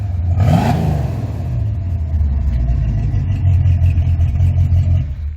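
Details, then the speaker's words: 1971 El Camino driving slowly after an evening of tuning, with timing checked and the engine warm: a quick throttle blip, then a smooth, low cruising rumble under light load with no miss or clatter. Runs well; only a brake squeak noted, and the water pump may need replacing. "Because slow speed driving is actually the hardest outside of a squeaky brake that's developed, this thing's actually running really, really well."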